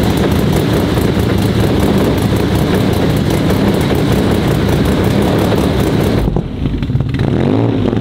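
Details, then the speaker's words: Audi RS4 sedan with freshly built engine on only its third start, being tuned while still chasing an oil smoke/leak issue: loud steady but uneven drone that drops away near the end; still running rough during early tuning. "12 Sekunden später chris hat nebenbei jetzt gerade schon ein bisschen wieder abgestimmt es war jetzt halt nun mal gerade mal der dritte Start"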